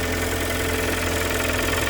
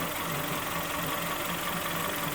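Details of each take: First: Kia Sportage 3 2.0 G4KD, under 105,000 km, cold start before overhaul: steady idle with a dull, rapid knocking under the engine note; internal engine knock that led to a full engine rebuild. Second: Kia Sportage 3 2.0 G4KD after overhaul with factory flaws fixed, first start, recorded from underneath while warming up: steady, even idle with no knock or tick. Dry and quiet, healthy; oil pressure later about 1.7–1.8.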